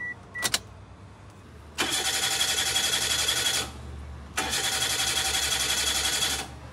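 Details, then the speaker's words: Old car cranks but won't start: two even two-second cranking bursts that never catch; no fuel pump priming sound from under the rear seat with ignition on, pointing to a failed fuel pump. "Okey. Usia kereta dah lama kan. Kalau situasi macam ni, crank boleh, tapi tak mau hidup."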